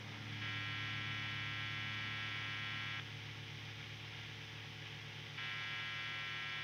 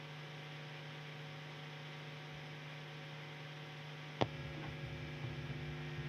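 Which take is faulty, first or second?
second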